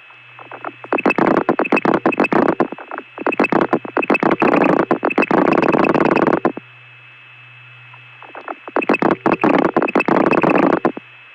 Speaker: these digits here's a one for example every pulse ends up making that relay ring on the line that's calling me